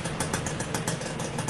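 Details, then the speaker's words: Suzuki Satria Hiu motorcycle, engine rebuilt with new and secondhand parts, idling cold: a quick, steady putter with a light even tick and no knock; the engine is much quieter, with only slight noise, possibly from the clutch housing. "masih dingin lebih Yang jelas Suara mesinnya udah enggak terlalu berisik"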